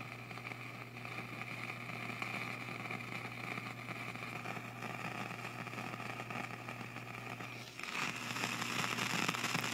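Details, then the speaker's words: Hallicrafters SX-110 receiver with speaker hooked up and volume all the way up: steady hiss with low mains hum underneath, no stations tuning in while controls are fiddled; fault not yet found. "I get no channels if I take something like this here and fiddle."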